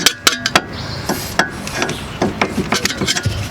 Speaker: you just want to grab it and go back and forth if there's play which there definitely as you can hear it you can see it